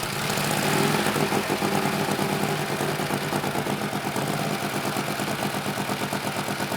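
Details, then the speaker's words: 1948 Harley-Davidson Panhead V-twin, first start after sitting years, fresh gas, oil, new battery, started first kick, warming up: loping steady idle about three pulses a second, no knocking or missing; healthy idle. "that is truly impressive how often do you get a motorcycle start up on the first kick of just sitting for three or four or 5 years"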